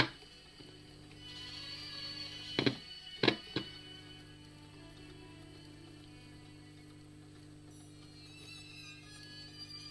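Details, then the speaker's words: 1960s Dansette record player after cleaning the volume control track: steady low hum with music only faintly coming through, plus handling thumps; weak output, capacitors suspected next. "but the humming and you could just hear it faintly trying to come through. Shame. So, I think the next part is capacitors."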